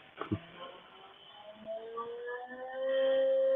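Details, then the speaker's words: CNC router's water-cooled spindle after new bearings were installed: a clean whine climbs in steps, then settles into one steady, fairly quiet note at full speed with no grinding. Normal run-up. "it that's up to full speed actually it's right there you go there's full speed then I can actually have a conversation"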